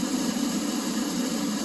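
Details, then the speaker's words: Oil furnace in an unheated garage, 31°F outside: burner motor runs fan and pump with steady hum and whir but no flame roar, only fires with door shut; burner fails to ignite, owner suspects plugged nozzle. "but if i shut the door that's the only way it will fire it starts but you don't hear the burner going"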